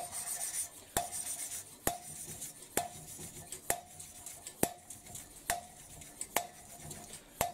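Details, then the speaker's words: Hand-lapping a valve on a Mercedes OM366 engine with suction-cup tool: ringing taps and gritty rub, sound changing as lapping paste wears off the seat. "І чуєте зараз звук, вже який помінявся? Тобто притірочна паста вже. Те, що було притерло, а основного на клапані немає."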